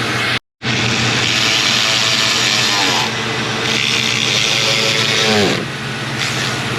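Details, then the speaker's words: 2003 Mercury Grand Marquis 4.6L V8 at idle, first start after replacing all spark plugs, the cylinder 2 ignition coil and coil boots; smooth even idle with airy hiss attributed to the plastic intake manifold, not a vacuum leak; no miss. "And it may sound like it has a vacuum leak. I was kind of concerned with that too. But you have to keep in mind this has a plastic intake manifold which can cause that sound."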